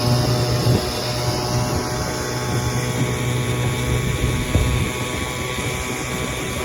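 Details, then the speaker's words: 1957 7.5 HP Evinrude outboard on a lake test run without its hood, after carb manifold jets were cleaned and a two-line fuel system problem fixed, running about 30 minutes: steady low buzz, constant beat, no stumbles or surging. Normal running. "cleaned out the Jets inside the carb manifold and she runs good now but running about 30 minutes"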